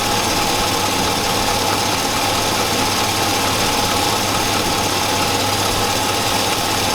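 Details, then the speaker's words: 2002 Chevy Avalanche 5.3L at steady idle after sitting a week: faint, fast tapping under the engine noise; owner suspects loose material inside the left-side catalytic converter but says it's hard to tell. Engine smells hot and burns oil. "I know for a fact that Cadillac converter in the left side is loose stuff is loose in there that might be - tapping - maybe it's passable it's possible it's hard to tell it's very hard"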